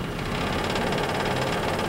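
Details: Scroll saw with blade correctly tensioned at setting four: steady, even, fairly quiet buzz with fast regular chatter from blade strokes; a loose blade instead shakes and gets noisy.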